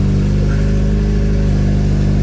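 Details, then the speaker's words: K24-swapped DC2 Integra on eBay harness: steady, even deep smooth engine note with no knocks or misses; running really well; normal running. "But overall, it's running really good."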